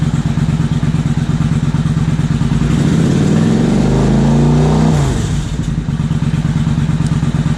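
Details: 2000 Suzuki Intruder 800 V-twin, carbs cleaned and just synchronized after no-spark repair, warm though cooling slightly: even, steady thump at idle with one quick rev rising and settling cleanly; carbs sound balanced and healthy.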